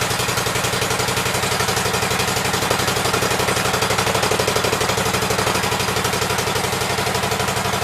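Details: Cub Cadet twin-cylinder engine after fitting a new coil and setting the gap, shroud on and air filter off: steady, even beat with no misses or knocks; running well on both cylinders.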